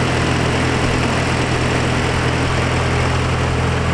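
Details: Nissan 240SX S14 with KA24DE, Honda coil packs and ECU Master, first start after a 3-year rebuild and oil priming: steady, even low idle with a smooth rumble and no knocks or misses; normal idle.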